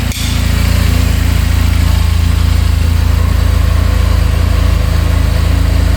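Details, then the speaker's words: 2022 Benelli motorcycle bought at auction, fresh gas, first start: quick start then steady even fast idle at 1700 rpm, clean regular pulse, no top-end knocking, bottom end sounds good; normal idle. "Idling at 1700 RPM. No knocking in the top end. Bottom end sounds good."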